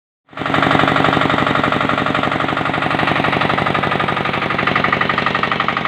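Crisp, even firing pulses at about four per second, steady and unbroken from start to finish; the engine runs cleanly and healthy.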